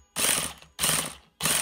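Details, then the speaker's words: HPI Nitro MT2 with G3.0 engine, reinstalled after a risky shaft-scouring fix for a slipping one-way starter bearing: three sharp ratcheting whirrs catch cleanly, bearing engaging and not slipping; not yet run through a tank of fuel. "hear it engaging the one-way bearing is not slipping right now"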